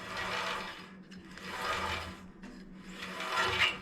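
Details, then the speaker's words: Band saw after tracking adjusted to run near center: soft rasping rub swelling and fading about every 1.5 seconds as the top wheel barely rubs; tolerable noise, not fixable without disassembly and bending. "this top wheel barely barely rubs up here that's the noise little bit of noise but I can't figure out how to fix that without taking it apart and bending it and all that"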